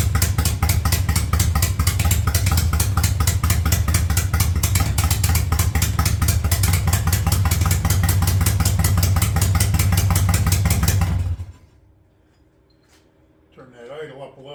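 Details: 1985 Yamaha Virago V-twin with a single-carb conversion, cold: steady, even idle with a firm low throb and no misses. It cuts out near the end.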